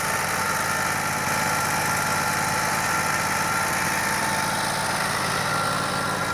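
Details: Yamaha EF12000DE / Robin RGV12000 generator, running after bypassing the starter relay: steady even engine drone with no misses, surging or knocks; normal running.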